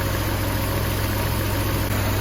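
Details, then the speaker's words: Porsche 968 after a cam chain and tensioner pad replacement, fully warm with the fans cycled on and off; earlier lifter ticking is gone. A smooth, even idle with a steady low hum and no ticks or misses: normal warm idle. "We've run up to temperature the fans have kicked on and cooled back down again everything is purring along"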